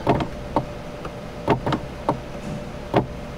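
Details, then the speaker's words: Kia Telluride sunroof: the motor hums briefly with repeated clicks and clunks as the panel tries to close, then stops. It opens fully but won't close because a broken wind deflector knocked the mechanism off its track. "And I don't know if it's binding in there or what's going on. It sounds like it's wanting to close, but it's"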